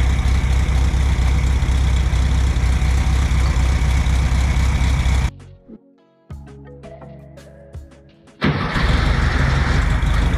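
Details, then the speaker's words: 1964 VW Beetle air-cooled engine, sitting 8–10 years, running after carburetor cleaning: even, steady idle with smooth rhythm and no miss or stumble. "The engine runs really well, once we decided to clean the carb out. We know that it's been sitting between 8 and 10 years."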